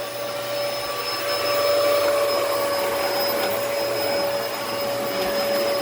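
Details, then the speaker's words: Dyson DC14 All Floors in bare-floor mode: steady high whine over rushing airflow, motor sounds strained and very unhappy; airflow duct/filter latch piece sitting out of place suspected. "it does not like that at all it is very unhappy"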